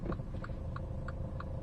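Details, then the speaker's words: 2017 Mini Cooper S, about 81,900 miles, with a Blue Ox flat-tow setup: light metallic ticks about three times a second over a low idle rumble as the exhaust rattles against the tow hitch. "I think you can probably hear the exhaust rattling on the hitch um he did say the um the flap toe a Blue Ox that setup he has was five five hours and dollars and it does go with the car"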